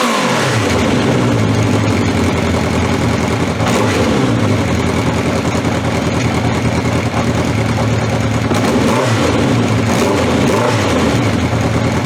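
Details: 1982 Honda CB750 K motorcycle on old, stale gas: uneven revving that surges and sags, stumbling rather than pulling cleanly; fuel starvation with the fuel tap left off, and the stumbling eased once it was turned on.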